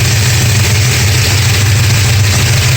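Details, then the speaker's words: 1969 Dodge Charger 440 V8 after re-torquing loose exhaust header bolts and intake manifold bolts: deep steady even-loping idle, no banging or ticking from exhaust; loose header bolts appear to be the cause. "fingers crossed, it looks like it was the loose header bolts on the exhaust."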